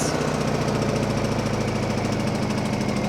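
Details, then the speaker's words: Honda EU2000i generator after carburetor cleaning, just started on choke, Eco mode off; slightly uneven, wavering beat with dips in the hum; running a little rough, maybe air in fuel. "seems to be running a little rough. We'll see. At least it started."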